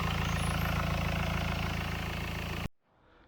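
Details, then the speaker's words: Skoda Octavia Mk2 4x4 estate diesel, no boost under full throttle, DPF previously clogged: steady idle with a regular low thump about three times a second in the engine bay; rhythmic hitting, owner suspects turbo air leak, with oil covering rear of engine. "So can you hear that hitting? It's from somewhere here."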